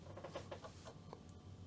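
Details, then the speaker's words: Commodore 64 floppy drive copying 1987 demo disks with GFIDOS: quiet, soft, irregular ticks and chatter from the head stepping; the drive is reading normally. "Yeah, now it seems to be working. I hear the floppy drive is reading."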